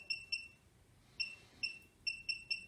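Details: Short high-pitched beeps in irregular bursts over a quiet room, one per RFID tag read as two tags are lifted off a low-cost desktop reader's plate; the reader is working normally.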